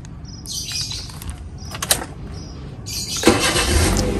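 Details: 2010 Toyota Avanza 1.5 S, 4-cylinder 1500cc with automatic gearbox: quiet at first, then a short crank and the engine catches at once, settling into a steady, even idle; a healthy start.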